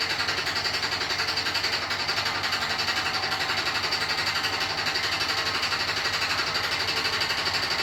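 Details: New Beko WY124PT44MW 12kg washing machine, 3rd or 4th use, light load: fast steady hammering rattle about four knocks a second as drum turns; installer left a transport bolt in and feet lock-nuts unset.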